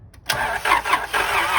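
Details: 1999 Acura TL cranking in quick even pulses, about three per second, but never firing; crank, no start with no spark found, a broken connector noted during ignition relay diagnosis.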